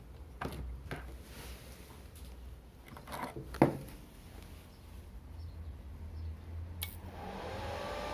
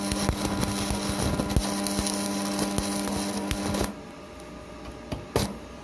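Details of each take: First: Strat 160KS welding inverter opened up, casing off (four fans, choke): low steady hum and a few clicks, then after about five to seven seconds the fans whoosh up to speed; normal delayed fan start. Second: Strat 160KS welding inverter, 2 mm gap, 2.5 mm electrode: a steady low hum under the crackling arc that cuts out when the arc stops; it hums under load but welds.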